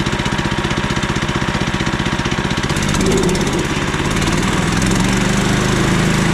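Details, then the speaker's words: Newly installed 15HP Harbor Freight Predator engine on a Frontier OS27 sawmill, replacing the 13HP Briggs & Stratton, running after its first pull-start. Steady, fast single-cylinder thump of about four beats a second, no misses or surging; runs smooth and healthy. "That's the engine swap. Use the Predator engine. It runs a lot better and a lot easier to start."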